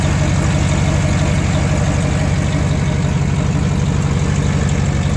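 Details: 2008 GMC Sierra 1500 Denali, L92 6.2L V8, resonator delete, idle; deep loud rumble with rough puffing rasp on each exhaust pulse from a leak right before the secondary catalytic converter, after the primary cats: exhaust leak.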